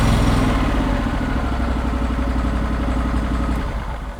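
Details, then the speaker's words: Floor scraper's engine after fixing a misfire on one side: the spark plug was re-gapped to 0.020 in and refitted; fires and runs at a steady fast idle, no stumbling or skipped beats, running good. "Fired the engine up. Everything's running good."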